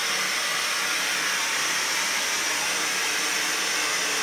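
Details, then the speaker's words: Kohler K9 steam generator that had thrown error 5, during repair, with water boiling and only one leak at a loosely fitted joint. A steady, airy hiss of steam with no sputtering or knocking. It is making steam normally. "and the only leak is up where i just loosely put it rightfully so and i think we got steam"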